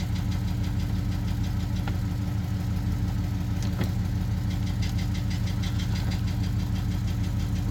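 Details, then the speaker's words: GM truck whose oil cooler quick-connect hose atop the filter adapter came loose and seized the engine: after getting it running, a heavy regular knock about three per second under idle, bottom-end damage from oil starvation. "running it's running but it don't sound too good hurting my ears"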